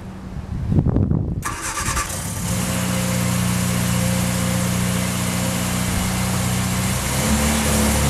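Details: 1966 Triumph Spitfire Mk2 after fixing misfire from swapped plug leads on cylinders 2 and 3 (firing order corrected to 1-3-4-2, previously ran on two cylinders): short crank, catches cleanly into smooth even idle; normal idle.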